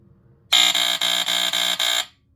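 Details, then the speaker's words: SmokeGard 907A2 hardwired smoke alarm with retrofitted plug, test: loud harsh buzzer pulsing in a coded rhythm, about six quick beats in a second and a half; 46 buzzer, working normally. "there you go what 46 buzzer 46 buzzer I find that really cool and yeah it did um sound the way I expected it to"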